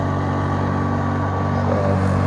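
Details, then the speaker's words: Kobalt 80V MAX self-propelled electric mower mulching grass at pretty high drive speed: steady, even motor hum with low drone and faint higher whine, no knocks or rattles; normal running, quiet enough to talk over. "and i'm just talking normal you guys can hear and he's got on pretty high speed right now"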